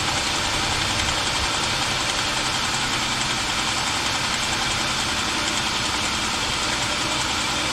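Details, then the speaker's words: 2007 Jeep Wrangler 3.8L, 300,000 miles, first start after rocker arm shaft replacement. A light, fast ticking clatter of three or four taps a second is heard at startup because the rocker shafts were empty of oil. "Of course, you heard the clatter when it first started up. It's cuz those rocker shafts were empty of oil."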